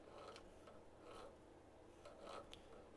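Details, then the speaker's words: Stripped cheap 125-150cc dirt bike engine with cylinder and piston removed, crankshaft turned slowly by hand: faint uneven dry clicks and light rubbing of unknown source; conrod and crank bearings show no play, so the clutch side is checked next. "Donc, t'entends le bruit ? Je ne sais pas d'où ça vient."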